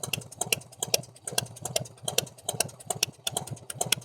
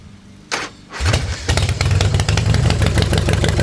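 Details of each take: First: 1990 Harley Fatboy V-twin with new S&S Super E carb, after tuning ride, warm; loping, fairly smooth idle with crisp ticks, idle perhaps a bit low; some valvetrain noise when hot, owner hopes rocker arms (lifters already replaced); normal idle. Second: 1990 Harley Fatboy with newly installed S&S Super E carb, idle screw turned a quarter turn up before riding and warm-up: cranks, catches, then fast lumpy V-twin beat about two pulses a second. Idle set too high.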